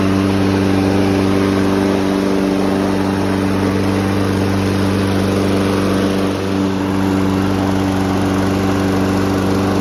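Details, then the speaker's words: Sachs-Dolmar 2-cycle push mower with no primer or choke, on 50:1 mix, takes a few pulls to start: steady, even two-stroke drone at constant pitch, no misses, surging or knocks; running normally and strong. "um so yeah that's how it runs it takes a few pulls one thing to note is it doesn't have a primer or a choke"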